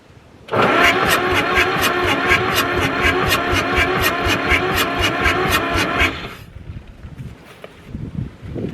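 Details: Ford 4000 diesel tractor, burnt and sitting 20+ years, with a faulty injection pump, bled and gravity-fed at full throttle: starter churns about six seconds at four to five even compressions a second, never firing; diesel leaking afterwards.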